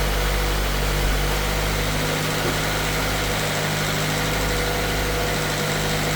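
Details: Honda Civic just jump-started with an AUTOONE 6000A jump starter: engine settles into a steady, even idle with a low hum and no stumble or misses. Running normally.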